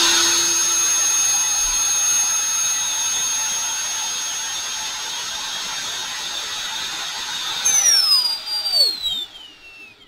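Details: Brushless motor from a Ridgid Gen 5 drill with failed control board, run on a cheap BLDC controller at 18 V, about one amp: clean steady high whine, then falls smoothly spinning down, no grinding or ticking; motor confirmed healthy.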